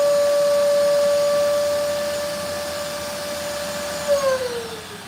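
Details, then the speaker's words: Wet vacuum cleaner sucking up water: steady high whine that sags lower as the motor bogs down; owner finds a blockage, clogged airflow. "Okay, so I think I have broken my vacuum cleaner because it doesn't really want to work. And I'm not too happy about that."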